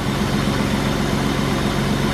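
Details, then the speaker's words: 1995 BMW 325i E36 M50 six just started after new belt installed: smooth, even low idle with steady quick pulse, no ticks, knocks or belt squeal; quiet and healthy. "no noises beautiful this is a nice sounding M50 it's quiet sweet"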